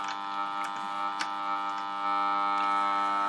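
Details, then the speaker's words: Kriesler 11-20 valve radio, volume turned right down, tuned to the bottom of the band: steady low buzzing hum with faint pulsing; mains interference entering via the aerial, with the volume pot suspected next after the main filter caps. "if I take off my aerial I'll lose that interference so at this point I know my mind's now going straight to the volume pot"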